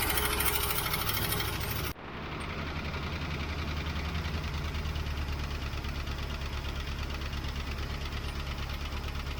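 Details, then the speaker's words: 1967 Mustang with a carbureted 390 V8: an uneven idle with a light, steady tick about three per second. Lifter tick; the owner feels it is not running on all cylinders. "unfortunately my um lifter tick did not go away either and it still feels like it's only running on I don't know it's not not running good let me tell you that it's running good enough to idle"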